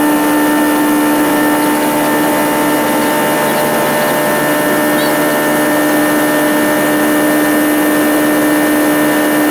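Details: Turbocharged Aerovee engine on an Onex aircraft, which had pre-ignition problems: a steady, even engine drone with a constant buzzing tone and no knocks, pings or misses. This is normal running.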